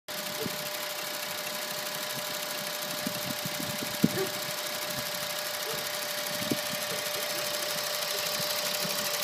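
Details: 2010 Honda Insight, 12K miles, synthetic Mobil 1 0W20 changed every 6 months: fast, light clicking through a bright, hissy engine sound, only while sitting still at idle, never while driving; owner unsure if it is a problem.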